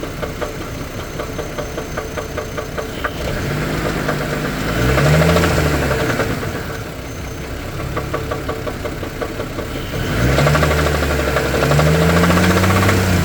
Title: engine knock 4/12/24